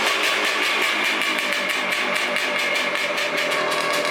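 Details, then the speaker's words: 1989 Honda CR500R two-stroke, just revived and running: fast even firing with harsh raspy crackle and lots of hiss; the muffler is completely blown out and needs repacking. "And then the muffler, I think you guys heard, is completely blown out. I'm not even sure if this is the right muffler for it. I think it is, but it's completely blown out. It needs to be repacked."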